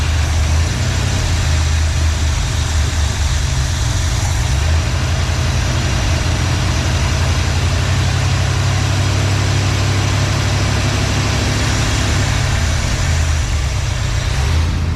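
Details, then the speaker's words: 1986 Trans Am 305 with E4ME Quadrajet: low lumpy uneven idle that sags and dies; brake clean sprayed at carb base gasket; vacuum leak suspected there. "Okay, grab your brake clean, spray it right around the bottom of the carb gasket."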